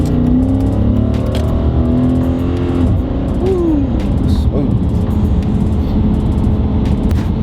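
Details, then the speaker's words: Dodge Challenger test drive after wheel bearing replacement, heater and radio off: steady engine and tyre noise with no hum or growl building with speed, much better than before; normal wheel bearing. "the symptoms of a wheel bearing is a humming sound while driving especially on the highway that's so she wouldn't get them RPMs is the wheel up right now it sounds good it sounds way better than last time"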